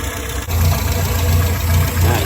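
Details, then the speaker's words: Souped-up Morris Minor with SU carburetor: low idle that slows when the piston is lifted; mixture too weak, adjusting the jet nut under the carb, almost stalling at idle. "It's almost stalling on idle now."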